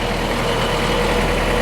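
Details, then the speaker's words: 1998 Ford Ranger after replacing a fuel injector to fix a rough idle, hot humid day: even, steady idle with smooth low rumble, no misses or stumbles; smooth as silk, normal idle. "But I'll tell you what, little motor smells smooth as silk. I'll back to the exhaust pipe and take a listen. Sounds pretty good there."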